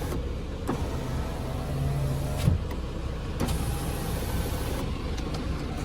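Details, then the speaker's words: Lada Vesta SW Cross passenger power window after the regulator slides were lubricated, fixing a squeak when closing fully: smooth, steady motor hum as the glass travels, with no squeak or grind; the factory had apparently used too little grease. "Никаких лишних звуков. Да, на заводе походу мало смаз. Пожалели смазки."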